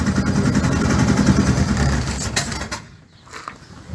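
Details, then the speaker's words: 1962 Land Rover Series 2a 109 rebuild, running without air filter after fuel pump priming: uneven, lumpy beat about three and a half per second; rough running, owner suspects mistimed ignition or vacuum advance, cause unconfirmed. "I think it's mistimed. Yeah, I've got to check the timing again."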